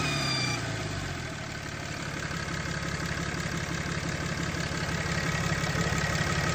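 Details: 6.7 Cummins diesel idling with a steady tick-like pulse about three per second over the clatter; owner suspects turbo, source unconfirmed.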